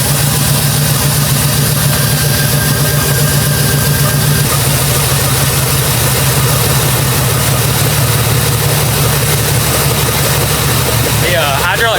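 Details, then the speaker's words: Jeep Grand Cherokee with a freshly rebuilt 4.7 H.O. V8, first start in years after install: loud, low idle with an occasional stumble breaking the beat. Misfire at idle, inconsistent; check engine light pending, owner may unplug coils to find the cylinder. "it's got a Miss I feel like it's better than it [Music]"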